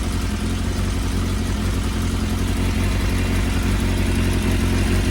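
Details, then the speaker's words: Suzuki Bandit 600, choke off, tank not bolted on: low, lumpy idle with an uneven beat. Number three cylinder misfires and warms slowly; not the plugs. Suspected lean fueling issue; carb balancing planned. "that one's warming up slowly now so I don't think that one is getting enough fuel to it it's only just starting to warm up"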